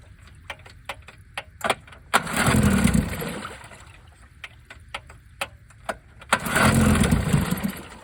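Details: 1950s outboard motor in freezing cold, primed with no choke: sharp pull-start ticks, then two short firing bursts each dying after about a second as it catches from cold. Cold start.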